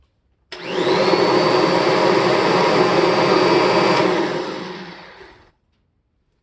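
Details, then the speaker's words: 1993 Kirby G3 vacuum after polishing and reassembly, front and rear motor bearings replaced with new. Steady high motor hum with brush roll spinning cuts off and coasts down smoothly in about three seconds, no grinding or rattle; normal run and wind-down. "so that's how fast a new kirby g-series should actually wind down with the brush roll spinning that's pretty quick"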